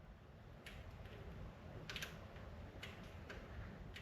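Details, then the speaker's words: 1962 Pontiac Catalina wiper motor, bench-tested with the case and an outer pin grounded and power on the middle pin: faint clicks about once a second with no motor whir; the solenoid clicks but the motor is frozen. "Now, you guys probably can't hear that, but there's a solenoid inside that's clicking when I do this. So it's not completely dead. It's trying to work, so we can move on."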